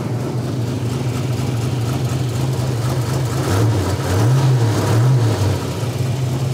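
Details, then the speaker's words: 1986 Buick Grand National turbo multi-port fuel injected engine, first start after over 20 years sitting, in park: steady idle with light revs, valve train sounds great, oil pressure built immediately; normal running engine. "it sounds good valve train sounds great it built oil pressure immediately"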